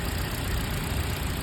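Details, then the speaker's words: Toyota four-cylinder petrol car idling with severe misfire: lumpy, uneven idle with deep irregular thumps, two cylinders not firing; diagnosed without scanner by pulling plug caps one at a time and noting vibration change. "इस गाड़ी में missing है देखिए आप missing दिख रहे है इजन रर आ रहा है"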